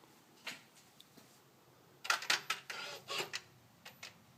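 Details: 2013 Ford Focus, engine off: after the door is opened and shut, sharp clicks and short whirs repeat about every 8 seconds, up to roughly 25 times. A relay box clicks and the sound seems to come from around the front right of the engine. Fixed per TSB 13-4-18.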